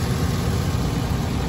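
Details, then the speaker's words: Normal idle of a stock 2003 GMC Sierra Denali Quadrasteer with the 6.0 L Vortec V8, heard at the engine compartment: deep, even V8 rumble with no knocking or pinging. "nothing abnormal no knocking no pinging everything sounds the way it should which is exactly what you're looking for when you're buying a a truck of the this kind of model year 2003"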